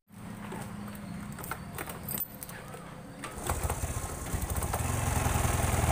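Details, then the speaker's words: Honda Supra 125 fuel-injected motorcycle with no idle and no MIL code: lumpy, limping single-cylinder beat that stumbles, coughs and then dies. The spark plug was checked and an ECU reset didn't help. "Waduh, malah mati. Suaranya pincang."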